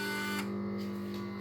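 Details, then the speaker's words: Peugeot/Citroën RT6 multimedia unit with black screen: steady buzzing whir from the CD drive repeatedly trying to load with nothing on screen; CD mechanism cycling, possibly a firmware problem, update via USB attempted. "Barulho de JCD. Já fez o barulho. E nada na tela."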